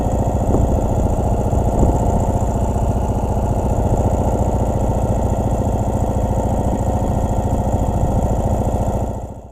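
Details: 2017 Ural cT sidecar motorcycle on the interstate suddenly loses power, limping at barely 30 mph with check engine light on; loud, heavy hammering beat at steady revs that never smooths out, rough running with power loss, blown ECU suspected.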